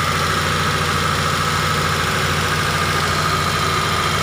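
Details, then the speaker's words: T120SS injection engine at idle: constant high flute-like whistle over steady idle, heard when revved, caused by a dented oil pan pushing the oil pump pickup against the pan plate as oil is drawn; before repair. "Oke Bro jadi suaranya itu berasal dari bawah yaitu dari pancit poli ini yang penyok jadi panci ini karena terlalu di dalam akibatnya adalah pompa oli atau corong dari ujung pompa oli itu mepet dengan plat dari panci oli ini sehingga terjadilah suara seperti ini ketika oli naik atau oli disedot"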